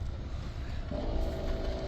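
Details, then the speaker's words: Parked car, quiet cabin: about a second in, a steady low buzz from the vacuum pump starts; normal operation, nothing to be alarmed about. "Oh, you hear that buzzing? That's a uh nothing to be alarmed with. It's a vacuum pump they put on these things."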